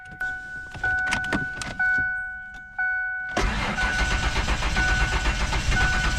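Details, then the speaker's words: Ford Explorer (1995 or 2000) after the fuel pump was grounded directly: short pump buzzes priming, then the starter grinds and it catches into a steady idle. It has massive leaks and chokes out when given throttle; normal start. "yeah come on oh we're running guys we're running massive leaks it is running but I can't get it any throttle or it'll chokes out on me"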